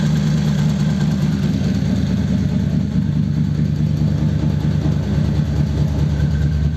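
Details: 1933 five-window coupe, worn flathead V8 started after sitting nearly three years: low, smooth idle holding a steady rhythm with no misses or knocks; runs cleanly.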